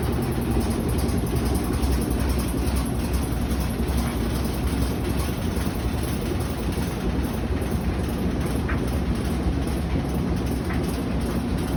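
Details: Whirlpool WTW5600VQ0 washing machine on spin cycle: heavy steady rumble with uneven thumping, two to three knocks a second, as the washer walks and makes loud noise.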